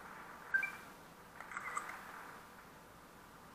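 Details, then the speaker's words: Kodak Z981 camera after power-button repair: one crisp shutter click, then a short soft lens whir in a quiet room; photo taken, working normally. "J'ai fait une photo. Le zoom fonctionne."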